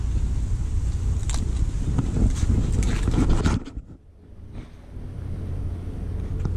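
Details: 2002-2007 Saturn Vue 2.2 litre, hot engine before coil replacement: lumpy, uneven idle with an irregular low thud about four times a second and smoke from the exhaust; one cylinder misfiring, suspected failing coil pack.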